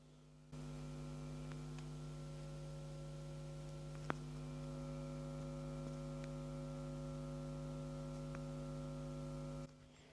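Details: Home-cinema system with five DIY 18-inch subwoofers, Trinnov processor and Behringer amplifiers, hum alternating between front and back subs; steady low buzz with evenly stepped overtones, unchanging. Constant electrical hum through the subwoofers, source not found; owner hopes replacing cables fixes it.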